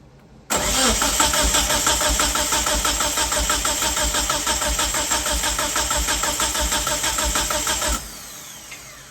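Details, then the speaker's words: 1997 Mitsubishi Eclipse GSX, last cylinder compression test cranking: steady, even cranking about three beats a second for seven seconds, no weak strokes; compression good, remaining fault is no spark. "Oh, that's a relief. That's a relief. So now we're just gonna find out why we got no spark."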